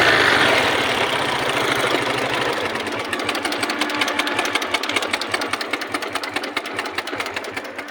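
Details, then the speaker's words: Hero Glamour single-cylinder motorcycle at idle: quick, uneven metallic ticking from the top end. Failed timing chain tensioner let the chain go slack. Timing chain rattle. "দেখতে পাচ্ছেন আপনারা দেখতে পাচ্ছেন টেনশনারটি নষ্ট হয়ে গেছে, যার কারণে টাইমিং চেনটা ঢিলে গেছে।"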